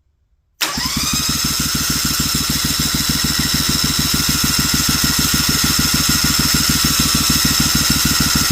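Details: Briggs & Stratton Vanguard 16HP twin with rusted cylinders, being revived, fuel pump primed and choke pulled: steady starter whine with even compression pulses, about 200 a minute, never firing; owner suspects no spark and sees no fuel being drawn.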